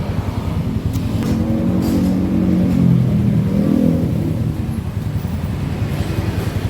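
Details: Yamaha Nmax after a repair around the gearbox (gardan), previously rough and rattly (geredek) on throttle: smooth, even rise and fall in engine note as the throttle is blipped, with no shudder or rattle, a normal rev.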